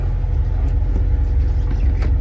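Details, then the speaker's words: An Acura Integra driving after a new wheel bearing was installed: steady low road rumble with no growl or hum rising with speed. The bearing is quiet and healthy, and the noise is gone. "I'm so happy there's no more noise I'm gonna go to the poles here and there so y'all can see that there's no more noise"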